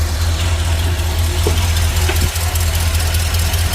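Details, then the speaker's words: Truck petrol engine, 34,000 miles, after sitting for years, idling after PCV valve replacement for a rattling/ticking noise: steady, even low rumble, no clicking or tapping, running smoother; rubber grommet may also need replacing. "It's running smoother."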